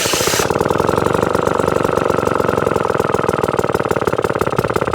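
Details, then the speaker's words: 1954 kick-start Atco Midget lawnmower with a Villiers engine, restarted after years of storage, with the throttle turned right down: an even, slow putt-putt of about ten beats a second with clean firing, a healthy slow tickover. "that's just above where it was beforehand what a fantastic bit of kit super super happy with that just chugging away"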